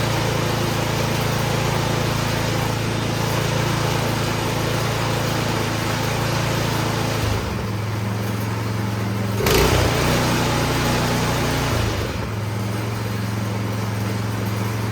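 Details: Troy-Bilt Storm 2660 26-inch snowblower that had been surging, after a carburetor cleaning: a steady, even engine drone with no hunting or surging; it now runs smoothly.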